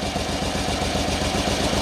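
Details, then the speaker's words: 27-year-old Yamaha Royal Star 1300 V4 with under 5000 miles idling lumpy and uneven with a steady hiss: number three cylinder dead (cold exhaust pipe), also sounding like a vacuum leak or sucking. "okay so it's number three cylinder and it is properly dead it sounds not sure that's coming out on the mic sounds kind of vacuum leaky to"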